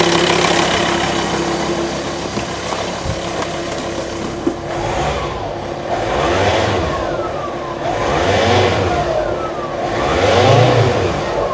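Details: VW T5 Transporter (pre-facelift) diesel after fitting a home-built all-aluminium intercooler: even idle, then three clean rev blips with turbo whistle rising and falling, no boost-leak hiss or misfire; sounds normal.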